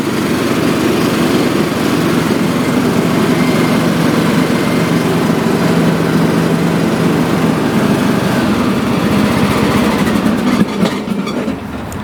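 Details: John Deere D110 lawn tractor, about 10 years old, test-run after drive belt replacement with the deck on (drive had been slipping and smoking): small single-cylinder engine at steady speed, even buzzing drone, no squeal or slipping; drive sounds healthy.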